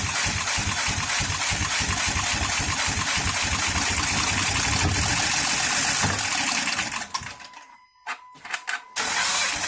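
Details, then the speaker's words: 2013 Honda Pilot J35 V6, timing belt jumped, no compression and bent valves: runs unevenly, lumpy pulse about four per second, stumbles nearly dying; possibly flooded, smoking. "I would say it sounded like it was flooded originally when I was starting up anyway, because cylinders can get washed out."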